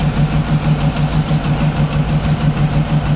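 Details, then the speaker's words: Cheap auction GMC Yukon idling after battery reconnect, with good oil pressure: steady low idle with a slightly uneven loping pulse, about three beats a second, no knocks or taps; mild misfire suspected, maybe an exhaust leak, but it starts first try and runs pretty good. "Feels like it's got a little bit of a misfire, maybe an exhaust leak, but it starts up first try and runs pretty good."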